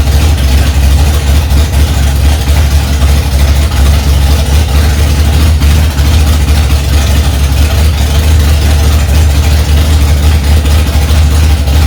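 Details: 1965 Ford Mustang, freshly rebuilt 289 small-block V8 settling in cold after its first start, mixture screws two turns out: steady, even low rumble with a smooth fast-idle beat, no knocks or misses; healthy.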